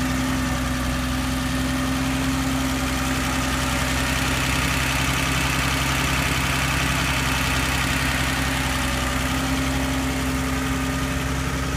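Steady air-cooled idle with a faint light tick running roughly twice a second over the fan hum; possible top-end ticking.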